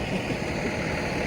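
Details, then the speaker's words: Diesel tractor in cold weather, idling after an hour of warming up: a steady, low, even rumble with no misses or knocks, so it runs normally. It would not run because of a fuel temperature sensor fault code, and the owner suspects the sensor was frozen. "as you can hear it is running now been working on it for the last hour getting it warmed up and trying to check the system and everything"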